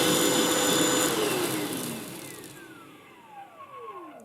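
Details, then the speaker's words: Vax Blade 24V cordless vacuum after stripping down and oiling dry motor bearings: motor still makes a slight whine as it spins down, though better than the earlier squeal, which was worst when slowing; owner unsure if it was always like this. "It still makes a little bit of a noise as it's slowing down, but to be perfectly honest, I can't remember whether it's always been like that."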